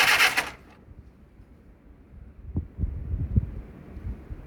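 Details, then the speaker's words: 1948 Willys CJ2A Jeep, first start attempt after sitting for decades: a few uneven coughs and pops as it tries to catch but never settles. It smokes heavily and pours oil from a leaking gasket. "Let's advance that just a little more. That is pumping some oil out. It's trying. Smoking like hell, didn't it?"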